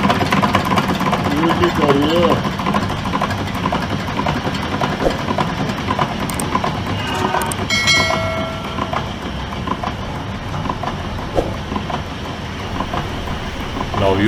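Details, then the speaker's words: Stanadyne diesel generator fuel injection pump on a Hartridge test bench: loud rough clattering under a steady bench drone with very low fuel pressure, indicating a damaged rotor that needs replacing; damaged pump rotor. "you can see that the machine is running and making a noise. And with that noise, fuel pressure is very low, which indicates that our rotor is damaged."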